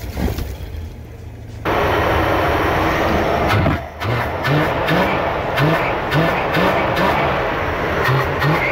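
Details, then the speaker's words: 1974 Dodge Winnie Wagon B300 van, fed from a boat tank to test the fuel pump, with oil previously dumped in the cylinders. It cranks, catches and settles into a steady loping idle with some exhaust chatter, smoking off the oil. Normal start and idle. "yes sir winie wagon is idling making some noise yes sir she is smoking cleaning out all that oil I dumped in the the cylinders"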